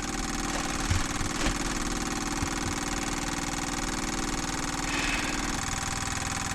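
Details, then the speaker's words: Sailboat diesel engine that stalled and won't restart, bleed screw open: electric fuel pump chatters fast and even at about four beats a second with no load, sounding like it's pumping air without pressure; tank pickup clog suspected. "let's hear if this slows down a little bit or changes tone that to me sounds like it's pumping air there's nothing there's no tension on it"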